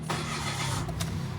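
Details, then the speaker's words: Mitsubishi Mirage G4 automatic that cranked but wouldn't start, after fuse box, ground and relay fixes with no scan codes: short crank, catches straight away and settles into a smooth, even idle; clean healthy start. "Okay nafix na natin lahat tapos na-scan na rin ah no code na siya"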